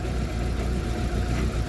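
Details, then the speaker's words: Yield GLP050 forklift engine with fault code 100.4 and a lack-of-power complaint, now in closed loop: deep, uneven, lumpy stumbling idle that worsens as the oxygen sensor switches and fuel trim drops; running rich and rough. "oxygen sensor is trying to switch and you see if you hear it it's running even worse now see my fuel trim is going down"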